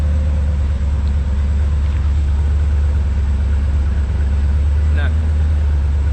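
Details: OBS truck V8 after a top-end rebuild, coolant filled, all gauges working, exhaust not yet fitted: deep, steady low rumble with even pulses and no ticking or knocking; idling smoothly and healthy.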